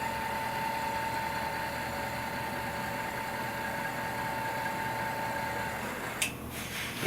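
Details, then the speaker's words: Indelac AS series spring-return electric actuator powered via terminal 3 to drive closed: steady motor hum for about six seconds, then a single sharp click at end of cycle; normal end-of-travel stop. "And again, you'll hear it click when it's at the end of the cycle."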